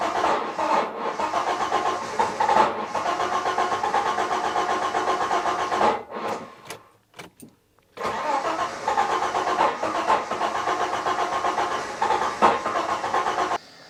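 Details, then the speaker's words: Citroen XM 3.0 24V V6, earlier clip of intermittent fault: starter cranks at varying speed with uneven beats and pauses, rpm reading erratic; cause not yet confirmed. "That every once in a while, when I try to crank it, it cranks at a different speed, and the ref counts is all over the place."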